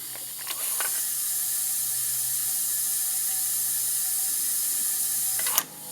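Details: Cold 469 big-block Chevy dragster engine, leakdown test on the cylinder leaking about 28%, listened at the carburetor with throttle plate cracked, engine stopped: steady high air hiss escaping past the intake valve; header quiet.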